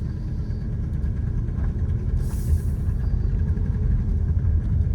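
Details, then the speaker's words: Auction-bought Toyota Camry, quarter tank, check engine light on, driven slowly around the lot: deep steady low rumble, engine somewhat ticky; exhaust noticeably loud, likely a leak. "Yeah, that exhaust is kind of loud. It might be obnoxious to drive on the highway."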